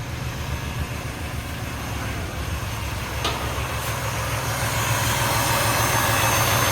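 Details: Chevrolet Impala LT1 V8 idling just after a first-try start following a new spark plug and plug wire install: a steady, even low rumble at about three beats a second, with no misses or stumbles.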